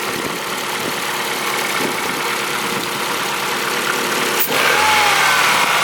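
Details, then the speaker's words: Old abandoned Ford engine running with accessory belt disconnected to isolate a noise (owner considered timing belt): steady, even run with smooth hiss, no squeal or chirp; noise gone with belt off. "so we've got belt disconnected our noise is definitely gone"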